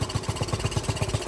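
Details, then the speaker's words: Dirt bike single-cylinder idling with fuel mixture screw fully closed; slow steady thumping, engine keeps running instead of dying, showing the pilot circuit is too rich and needs a smaller pilot jet. "and see, with that closed, she should have died, and she didn't. That tells us right there we need a smaller pilot."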